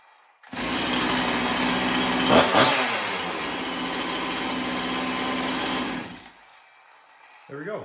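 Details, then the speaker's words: Chainsaw after cleaning the scored cylinder and fitting a new piston and ring: steady high buzzing two-stroke idle holding even for several seconds without stumbling, then clean shutoff; sounds pretty healthy. "sounds pretty healthy"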